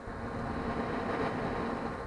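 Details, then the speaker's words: HP Infinium oscilloscope after repair, fully working: soft, steady airy whoosh with faint even hum, no rattle or whine; cooling fan much quieter than before, running normally. "much quieter than before so that's the finished product"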